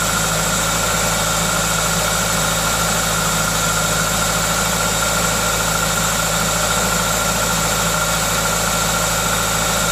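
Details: Toyota 2ZZ-GE engine: smooth, even idle with a steady hiss from the aftermarket induction kit, no knocks or misses; normal, healthy idle.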